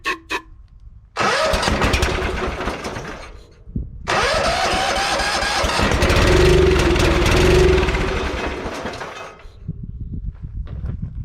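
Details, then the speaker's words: 1980–81 Bolens 1858 H18XL garden tractor, single-cylinder Tecumseh engine, run after sitting a couple of years. A short crank, then it catches and runs with a slightly uneven beat; carburetor issues remain: engine starts and runs. "So I say that's a success, besides of all the carburetor issues, which we'll get it figured out in the next video."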